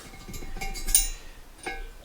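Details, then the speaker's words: TVR Tuscan cylinder head, valve rocked by hand in its guide: sharp light metallic clinks from far more play than the two-thousandths of an inch it should have; worn exhaust valve guide. "That should be 2,000 of an inch. That noise is not 2,000 of an inch."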